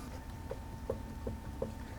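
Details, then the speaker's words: 2012 Lincoln MKZ with front-end clunk over bumps, on a lift: five soft light clunks about 2.7 a second as the front brake caliper bracket on its guide pins is rocked by hand; this play is normal, not the problem. "can hear a little clunk but that amount of play is normal"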